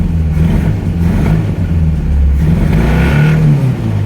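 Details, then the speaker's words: Ford Escort MK3 GLE that needs fuel: engine note rises and sags unevenly under throttle with rough wavering low drone; uneven revving, cause undetermined. "Josh, she even revs weird."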